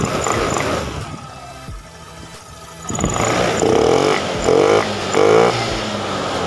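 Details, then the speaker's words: Honda Beat FI scooter, previously bogging on snap throttle, now tested; engine snaps up cleanly on each quick throttle blip with no bog or stumble; throttle response clean and immediate. "Oke kita coba gas langsung dapet dan langsung respon Ya yang seperti itu ya"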